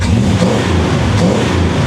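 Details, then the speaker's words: Cold 1957 Chevrolet Bel Air carbureted V8 with true dual exhaust, no crossover: deep rumble swelling as throttle opens onto the secondaries, pulling strongly with no stumble or popping; idle speed sounds right; normal rev. "listen to that true dual exhaust no crossover pipes each exhaust pipe goes straight to that side of the engine doesn't she sound good I like where the idle sitting at sounds nice"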